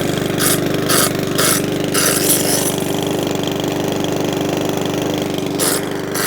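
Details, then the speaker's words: Mountfield 164 self-propelled mower (same as 414) after carburettor fuel-leak repair, on a hot day: steady even putter with no hunting or surging; normal healthy running. "But it started straight up, no mucking about, no hunting surging. Nice."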